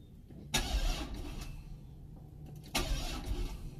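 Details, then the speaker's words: C6 Corvette after a full engine rebuild (previously flooded), restarted shortly after an earlier run. Two short, labored cranking bursts about two seconds apart each fade without catching because the battery died, and it later starts on jumper cables. "okay let's start this puppy again"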